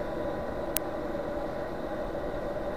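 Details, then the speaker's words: Chinese diesel heater on bench test at about 12 V, after 12 minutes running: normal shutdown cool-down with fuel pump off and glow plug on, a steady even fan whir with one sharp click. "the fuel pumps now gone off and it's just got the glow plug heater inside and it'll keep going like this until all the hot air is actually blown out the heater fans coming up it's cooling it down"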